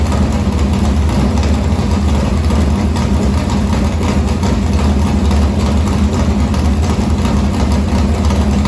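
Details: Morgan Machine-built open V8 (about 358 cu in) race engine in a Harris car, EQ heads, likely an Edelbrock Victor Jr two-barrel intake, started after sitting a week and a half to refill an unhooked fuel line: deep, steady, even idle with strong low rumble, no knocks or ticks; normal idle.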